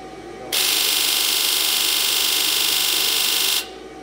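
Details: 2002 Ford F250 7.3 diesel with codes P1291/P1316, after reseating the right-bank valve cover gasket connector: injector buzz test gives an even, high-pitched buzz for about three seconds, then stops cleanly.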